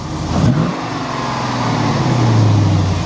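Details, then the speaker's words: 2009 GMC Sierra 1500 Denali, in drive on the brake with a throttle stab: single heavy thud then even rev-up; broken driver-side motor mount, failed a second time, replaced with Atomic Fab poly mounts. "I had a driver side motor mount it's gone bad this is the second time it's gone bad"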